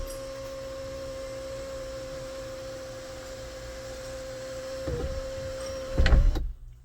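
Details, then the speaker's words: 2014 GMC Sierra SLT 4WD 6.2L L86, intermittent sunroof fixed after relearn/initialization procedure: steady, even motor whine for about six seconds, then a soft clunk as the panel seats; sunroof closes normally. "oh yeah sweetness oh i think she's fixed guys let's close it"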